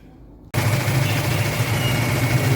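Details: 2010 Honda Civic automatic, check-engine light, code P0351 cylinder 1 ignition coil circuit malfunction: rough uneven idle with a stumbling low chug, misfire; replacing the faulty ignition coil made it run smooth with no errors.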